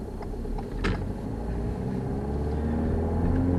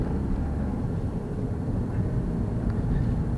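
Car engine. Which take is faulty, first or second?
first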